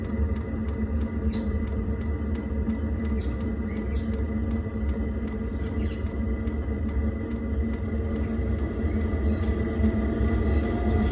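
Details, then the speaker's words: Eberspächer Airtronic diesel heater newly installed in a Toyota Coaster motorhome, fed by a long curly line from a jerry can: a steady fan whir with an even fuel pump tick about three times a second; normal start-up. "it takes a minute or two I think for things to start up once you turn it on there we go you can hear the pump ticking now and then you can hear the fan starting up"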